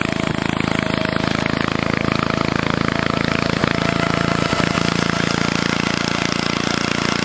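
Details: Old Onan engine: steady, even chugging at constant speed with no misses or knocks; running smoothly.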